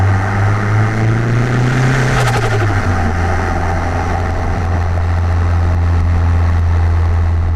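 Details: Car with new MRP 3-inch aluminium MAF housing, after earlier breaking-up issues, warming before a drive: revs up cleanly and settles straight back to steady, even idle without stumble; sounds healthy, issue assumed fixed.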